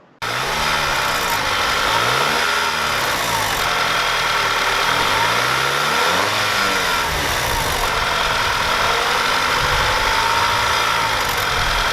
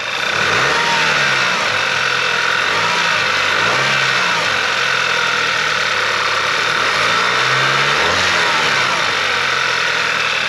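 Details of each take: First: Audi TT 2.0 TFSI (EA888) before fix: revs rise and fall with light metallic chatter as revs drop. Turbo wastegate rattle, later fitted with a wastegate clip. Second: Audi/VW 2.0 TSI TFSI EA888 turbo engine after fitting the wastegate rattle clip: revs rise and fall cleanly with no chain-like clicky clatter after the drop; the previous turbo wastegate rattle is gone.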